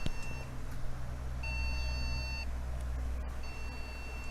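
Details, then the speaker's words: PC powered on with RAM removed: long single beeps, about a second on and a second off, repeat over a steady fan hum; POST beep code meaning RAM faulty or missing. "Itu tandanya RAM rosak ataupun tak ada RAM lah, senang cerita."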